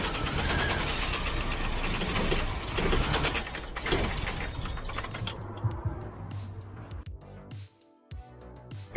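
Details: Freshly rebuilt Toyota 22R-E with performance camshaft and new rocker arms, first start after the distributor is reset one tooth: rough, uneven idle with an irregular stumble every few beats, one cylinder misfiring from a loose injector connector.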